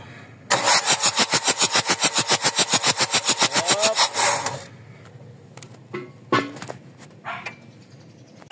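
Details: Mazda BT-50 pickup, WE 3.0 DI turbo diesel with hard starting, injectors pulled and cleaned (number three stiff): starter churns evenly about four strokes a second for nearly four seconds without firing; long crank, cause not confirmed.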